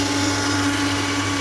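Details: Jet pump on a 20 m bore well filling a water tank, steady drone with rough churning hiss; snoring because the suction is hanging and drawing air, so flow is not at maximum; cause suspected, not confirmed.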